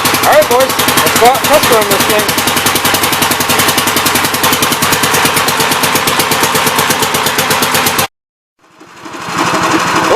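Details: 1969 Gravely C8 tractor, repaired for no high range, throttle cable adjusted for high idle, started next morning: fires straight up, settles to an even single-cylinder beat about three and a half pulses a second. Healthy cold start.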